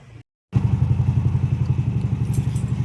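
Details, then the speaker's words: Mio MXi scooter that would not start (fuel pump and IC already replaced) briefly cuts out, then fires and settles into a steady low putter about four beats a second after broken red, white and green wires were repaired; idling normally. "So ayan umandar na siya."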